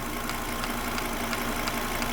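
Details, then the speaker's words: Volvo V70 II 2.4T at idle: light, sharp ticking about three per second from around the V-belt. The V-belt, pulley, timing belt, pulley and tensioner were already replaced, and the belt pulley visibly jumps. Owner suspects wrong belt length (1825 vs 1841 mm); unconfirmed. "you can hear that ticking noise. It's coming from somewhere up here. I mean, to me it comes from somewhere around the V-belt."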